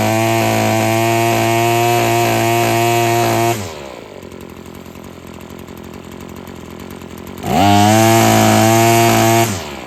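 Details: Husqvarna string trimmer after freeing a sticking trigger and adjusting the carburetor: crisp high revs held steady with the string whistling, a drop to idle, then a clean snap back to full speed; running healthy.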